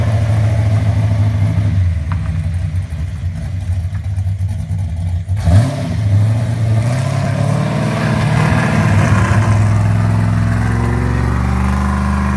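Uneven idle with an irregular stumble in the beat, then a rev that rises roughly rather than cleanly; sounds like a misfire.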